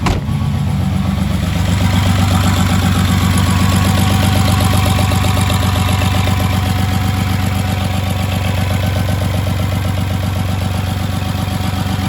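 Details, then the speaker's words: Rebuilt VR6 at first start after reinstallation: catches and settles into a deep idle with a faint, slightly uneven chug; owner suspects a missed vacuum line, unconfirmed; rough idle. "He's chugging a little bit. Maybe I missed the vacuum line."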